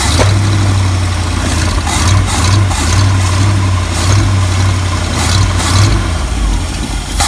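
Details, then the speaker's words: 1974 Ford F-350 V8, crushed by a tree and long unused, started by shorting across the circuit: catches and settles into a loud steady low rumble with small rev swells, no knocking, good oil pressure; exhaust pipe leak and leaking accelerator pump noted. "I can't believe it still runs still sounds good [Music] too and still has good oil pressure idling"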